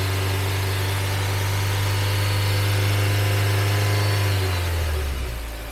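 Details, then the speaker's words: 2014 Nissan Evalia manual (used from 2015, over 100,000 km), just started and still cold, held at about 2000 rpm then eased off; even, steady drone with no knocks, ticks or rattles, engine judged smooth with no faults; normal rev. "Oke, Masih halus. mantap. Nah, jadi untuk mesin, insya Allah nggak ada minus, teman-teman."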